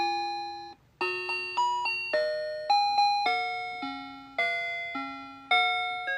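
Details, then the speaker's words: Older-model musical clock played via demonstration button, which doesn't always work: bright chime melody note by note with clean decay and dated sound quality; show played this time, mechanism sometimes sticks halfway closing. "but again this is an older model too as you can kind of tell by the sound quality but I don't think that it makes it any less cute by any means"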